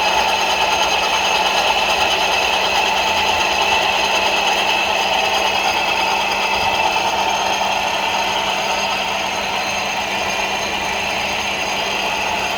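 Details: Ford Focus 2 2.0 running: steady metallic ringing with an uneven light knock about twice a second; knocking and ringing attributed to the AC compressor clutch, suspected not confirmed.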